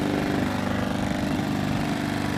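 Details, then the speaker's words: Generac iX2000 generator, new and on its first start (hard to start, run on full choke after priming); steady engine drone with a fine buzzy rattle from the housing, the case rattling more than expected. "can hear that case rattle it's a little bit noisier than I would expect it"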